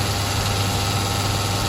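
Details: Sioux valve grinder after fabricating a recirculation oil return pan: steady even hum, constant low drone plus smooth high whir, no knocks or surges; oil directed back into pan underneath. Normal running.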